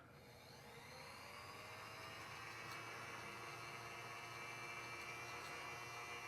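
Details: Older Babe's E-Spinner electric spinning wheel, speed control bumped slightly up for more twist: quiet, even whir with faint steady whine creeping up slightly in pitch; motor runs smoothly and healthy.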